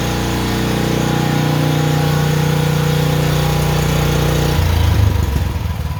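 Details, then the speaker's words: Honda generator after a no-start tune-up (carburetor cleaned, oil changed, fresh gas), first start with choke on: steady, even low drone with smooth regular beat, no hunting or surging; normal idle. "idling perfect. That right there. Quality. Just runs perfect."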